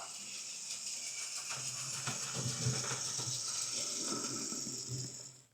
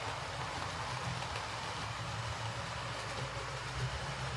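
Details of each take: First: Hornby R2558 County Class Second: Hornby R2558 County Class loco after a new drive gear and blanking plate, running on the layout: steady low rumble, no ticking from the drive gear; noise is the cheap motor, considered normal.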